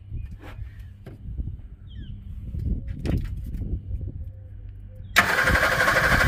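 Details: 1961 Ford Falcon Futura parked 20 years, just fitted with new plug wires after rusty old ones, fuel pump off; uneven slow cranking about three turns a second with no firing; cranks but won't start.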